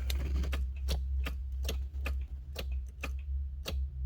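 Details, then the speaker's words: 1981 DeLorean starter wired with shunt actuator, battery on, fuel pump disconnected: steady light ticking two or three a second over low hum, no spin; starter clicks but does not crank. "Tries to take power. Interesting. Nothing."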